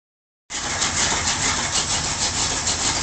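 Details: Ford Torino V8 after full tune-up, carburetor rebuild, gas tank flush and upgraded ignition: engine catches and settles into a steady, even lope with regular firing pulses, no misses or knocks; normal idle.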